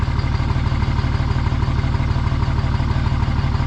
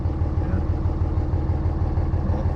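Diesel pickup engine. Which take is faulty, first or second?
first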